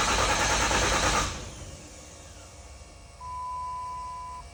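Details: Freshly rebuilt engine cranked with injectors disconnected for oil priming: about one second of even starter churning at roughly three turns a second, then stops; smooth, healthy crank with no catches.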